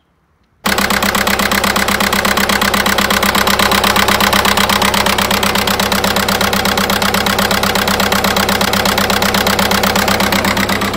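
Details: 1.9 TDI 105 hp diesel at idle, before repair: uneven, lumpy chuff about twice a second, running on three cylinders; injector 3 makes poor contact through a worn connector.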